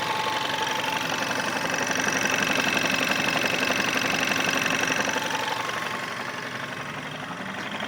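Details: Volkswagen Scirocco 1.4 TSI, 100,000 km, original clutch, engine hot: soft even thrumming knock about twice a second from the right side of the engine, like a distant helicopter; rises in frequency then vanishes with revs, gone after cold restart; owner suspects clutch or flywheel, unconfirmed.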